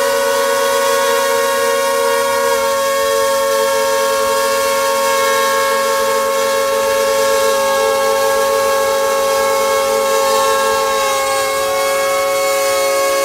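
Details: DJI Mavic Air with its original propellers, held in hand with motors at max power: steady high buzzing whine with many even tones, holding without wavering; normal, healthy motor noise.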